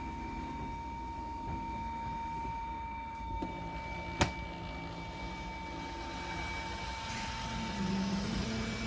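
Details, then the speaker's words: 2022 Wildwood 42FLDL travel trailer, hydraulic slide-outs extending together (bedroom, kitchen, living room): steady pump motor whine at one pitch with faint clunks as slides move out and reach full extension; normal healthy operation. "once they're all fully extended you're going to kind of hear the line on the motor and then you'll probably notice the legs dimmed down a little bit"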